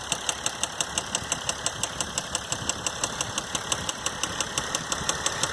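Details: 2012 Mercedes GL350 diesel with 125k miles at idle: sharp, evenly spaced knock about three times a second over the diesel idle, a failed rod bearing.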